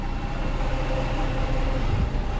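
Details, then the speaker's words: Chrysler 300 3.5L V6 after junkyard engine swap, about 1,000 miles later, idling: steady, even low rumble with no knocks, misses or ticks; normal idle. "It's purring like a kitten, but just over 1,000."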